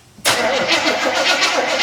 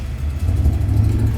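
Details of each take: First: 1972 Chevrolet El Camino, 402 big-block V8, first start after decades parked under a carport, fed a little fuel: cranks, catches, settles into loud, slightly uneven idle with some stumble; carburetor stopped up, needs rebuilding. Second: 1972 Chevrolet El Camino, 402 big-block V8, after rebuilt Quadrajet carburetor and tune-up with new spark plugs: deep, strong rumble pulling evenly with no stumble or miss; responsive, normal throttle response.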